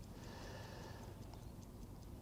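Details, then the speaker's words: Vintage Howard Miller ship's bell clock after repair, wound five full turns: quiet, steady, even ticking with no pauses; no longer stops when jiggled, running normally. "and I can hear it ticking away nice sound"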